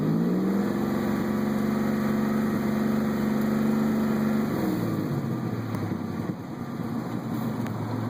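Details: Buick Regal GS: engine hums steadily, then sags and turns lumpy with an irregular stumble — intermittent misfire of unknown cause.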